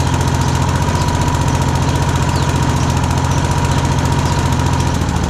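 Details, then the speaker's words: Rover Combat lawnmower single-cylinder, stone-cold start on choke after fitting new blades: steady, even putter at a fast regular firing beat, no knocks or misses. Normal cold running. "Okay, so it is a cold start, completely stone cold, freezing cold, good to say."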